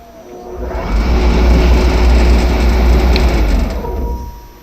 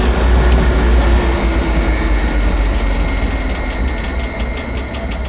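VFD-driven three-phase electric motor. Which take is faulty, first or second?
second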